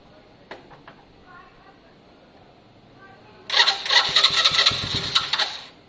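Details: Lexmoto Valiant single-cylinder motorcycle after up-jetting, choke off; small single fires and revs crisply for about two seconds then drops off cleanly, sounding much better than before: normal running.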